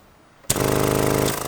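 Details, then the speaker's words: 4x4 electric brake vacuum pump, ignition on accessories, pump standalone before teeing into engine vacuum: abrupt start, steady fast-pulsing buzz easing slightly as vacuum builds, then it stops at pressure; normal operation. "it's on accessories so you can hear that pumping until the vacuum builds up enough there you go pressure and it stops"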